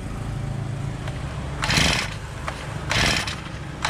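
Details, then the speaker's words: Honda GX35 brush cutter, carburettor test after adding fuel and priming: fires in three short bursts about a second apart, then dies each time without catching; hard starting, cause not confirmed. "quer pegar deu sinal que quer pegar galera"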